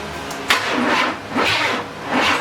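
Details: 1994 Chevy C1500 with Vortec engine and new starter cranking slowly in rhythmic surges, about one a second, without catching; crank, no start.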